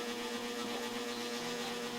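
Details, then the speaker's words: Kawasaki Avenger 220 motorcycle at 12,000 km after overhaul: smooth steady engine hum, even pitch, no knocking or ticking; engine runs quietly and healthy. "You can already hear it's quiet. It's quite enough."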